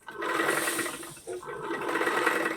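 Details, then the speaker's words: Single-needle sewing machine after three noise-reduction fixes, which earlier rattled loudly: smooth even whirr with a light steady stitch rhythm and no clatter, much quieter; normal sewing machine running. "നമ്മളീ ആദ്യത്തെ ടിപ്പും രണ്ടാമത്തെ ടിപ്പും മൂന്നാമത്തെ ടിപ്പും കൂടെ നോക്കിയപ്പോഴത്തേക്കും നമ്മുടെ മെഷീന്റെ sound ഭയങ്കരമായിട്ട് കുറഞ്ഞിട്ടുണ്ട്"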